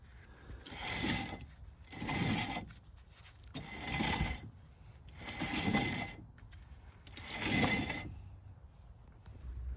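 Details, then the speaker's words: 2012 Ford Focus 5-speed: rear hub turned slowly by hand gives a gritty, crunchy rasp about every two seconds; rear wheel bearing worn out, hub apparently getting hot. "For you ASMR folks out there, let's get a listen. Oh yeah, that's crispy."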